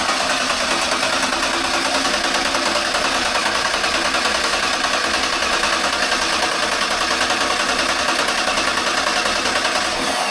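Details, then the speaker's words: Freshly built 347 stroker small-block Ford on a run stand, oil primed to about 50 PSI, ignition off to pull fuel into the carb: fast, even starter cranking about three beats a second with no firing; healthy crank. "So, I did prime it with the drill, but we had about 50 PSI oil pressure just static. All right, leave the ignition off and just crank it till we get fuel."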